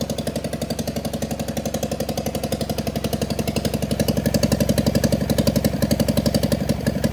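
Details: John Deere 400 tractor, Kohler K532 twin, parts tractor not run in about a decade, bad governor (points plunger didn't move), makeshift fuel supply, full choke: small twin settles into an even steady beat around idle, no misses or knocks, no smoke; runs healthy.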